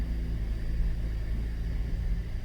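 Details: 2013 Cadillac SRX at 114,000 km, wheels off ground, traction control off: deep heavy rumble and thumping under mid-vehicle as rear wheels spin up; failed rear driveshaft hanger (center) bearing, fixed by replacing the whole driveshaft.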